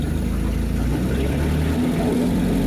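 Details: Steady, even low rumble with no knocks, misses or surges from the 1953 Lyman Islander's Gray Marine inboard at spring start-up, oil pressure up; idling smoothly and healthy.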